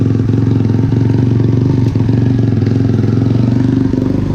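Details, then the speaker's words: Motorcycle, broken-in engine, just after a fresh valve adjustment and oil change, 72°F day, while riding: strong, steady low pulsing idle with an even beat and no top-end ticking; engine healthy and feels more powerful than before the adjustment. "a lot better with those valves been adjusted again maybe so feels good to be on this thing nice ride"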